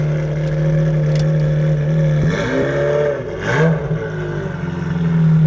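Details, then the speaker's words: Ferrari 355 V8 at collection after a full engine strip and refresh, with Tubi manifolds, Larini cats and a Capristo backbox. A deep even burble swelling cleanly as the revs rise and fall, no misses or rattles. Normal exhaust note. "That's how a 355 should sound. I feel like a a little kid at Christmas, you know, even though I've had the car for 8 months."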